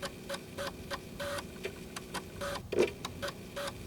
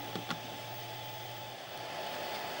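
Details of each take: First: Old Sony floppy drive, microphone right up close: crunchy irregular seek clicks and head stepping about three per second over faint motor hum; drive working normally, actually quiet in person. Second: Amiga 600 with Furia accelerator card, microphone placed on top of the computer near the card; steady airy whir with faint thin tone throughout: loud cooling fan.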